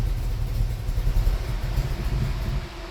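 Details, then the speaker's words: Ford Falcon with 302 small-block V8, carburettor and automatic, idle mixture screws leaned out during tuning, shifted from neutral into drive: low uneven rumble that sags and dies; idle mixture too lean, engine stalls under torque converter load. "there we go she conked out so we are in a lean condition"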